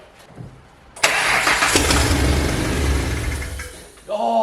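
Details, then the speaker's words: Ford Mustang first start after engine rebuild, basically open headers: cranks, catches loud and rough for about three seconds, then dies; stalls traced to mass airflow sensor, ran fine once it was unplugged. "there's no way I just unplugged the mass airflow sensor and it worked just fine that's literally all I did"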